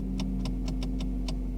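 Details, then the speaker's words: Ford Focus Mk1, engine off, headlights on: sharp uneven ticks from the gear lever over a steady low hum, stopping when the brake pedal is pressed; owner suspects a faulty brake pedal switch; shift lock solenoid chatter. "the problem we're having is when this car is Stone dead and the headlights are on we're getting some noises coming from the gear lever"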